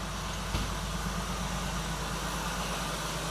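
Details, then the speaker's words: 1979 Jeep CJ-5 revived after 29 years, overheating, oil pressure about 30 and dropping: low, even idle with steady pulse and no knocks or misses under outdoor noise; running well. "I mean, I'm pretty impressed for 29 years. Sounds good."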